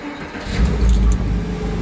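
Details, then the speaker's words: BMW E9x M3 with 217,000 km on cheap oil, restarted right after a rough start. Catches and settles into a deep, even rumble with a light rev, no rattles or knocks: normal engine start. "listen how beautiful this sounds no problem two hundred and seventeen thousand kilometer without any intermittent fairing change"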